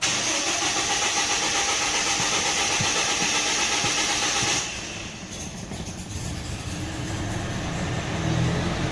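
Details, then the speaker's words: Toyota Innova four-cylinder, started after a spark plug and coil check: the starter cranks about four and a half seconds before catching, slowed by cleaner fluid in the injection, then settles to a normal, even idle. "Nah, mulai hidup. Tadi agak payah start di awal itu karena adanya cairan vakum cleaner pada injeksi. Kemudian ketika cairan itu hilang, terbakar, maka mesin sudah normal."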